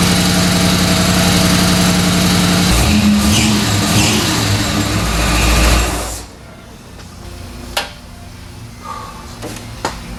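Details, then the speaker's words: 1970s Dodge Tradesman 4x4 van, freshly rebuilt 318 V8 at idle after swap: busy fast clatter with whirring layer before cutting out; alternator noisy, belt to be retensioned, alternator possibly needs replacing. "so my alternator is making a lot of noise i'm going to retention the belt"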